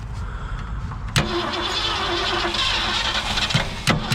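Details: 1967 Ford Galaxie 500 with 289 V8, sitting about 35 years, first start attempt with new plug wires, points and condenser and a little fuel in the carburettor: short cranking bursts that don't catch; carburettor needs a rebuild.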